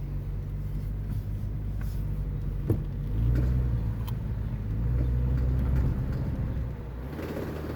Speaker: Hear that clunking and clicking? That's it. Do it one more time. You accelerate while you're turning. That clicking.